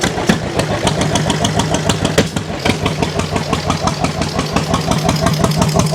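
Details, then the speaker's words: 1929 John Deere GP tractor on first start after restoration: slow, lumpy, unevenly spaced pops, running like a one-cylinder; rough running, misfire, owners suspect dirt on shield burning off. "I think what it might be there's a lot of dirt on that Shield I think it might be burning that dirt off the more it runs the better it sounds"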